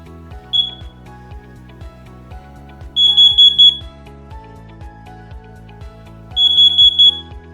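Shrill high beeps in groups of four, repeating every few seconds: a carbon monoxide alarm signalling CO detected.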